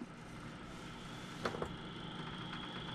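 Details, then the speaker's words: Desktop PC case fan found by stopping fans by hand one at a time: a steady droning whir with a low hum and faint high whine, because the fan spins too slowly instead of at constant speed. "이게 회전수가 일정하게 나와야 되는데 회전수가 회전 속도가 느리면 이런 증상이 보여요"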